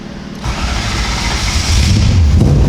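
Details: Toyota 1UZ V8 swapped into a Nissan 240SX, first start after wiring the ECU, igniters, coils and fuel pump: brief crank, catches within half a second, settles into a rough, low rumbling idle; engine starting.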